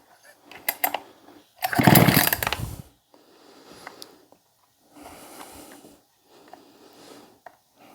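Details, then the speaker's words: Husqvarna 262XP chainsaw, just cleaned and pressure-washed, choke on, air filter off: repeated short pull-cord bursts with rattling, never fires; checking for spark, and owner suspects moisture from washing; cranks, no start. "okay we've got chokes on here we go should have fired should have fired by now well let's see if it's getting sparked"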